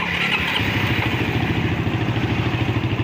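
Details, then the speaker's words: Suzuki Satria FU motorcycle with an electric starter that previously made no sound: steady, even starter whirr with regular cranking pulses; the starter, solenoid and fuse work and the fault lies in the switch circuit wiring. "Dari apa yang terjadi, jelas bahwa starter dan solenoid masih berfungsi dengan baik, dan sekring di sini juga masih dialiri daya."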